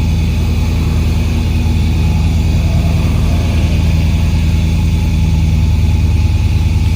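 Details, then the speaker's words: 2007 Dodge Ram 5.7L with codes P0300/P0305: a deep, lumpy idle with an uneven beat and a recurring stumble; a cranking test shows low compression, probably on cylinder 5, which is misfiring. "we'll zoom out and if you look look at that we got low compression and probably cylinder 5"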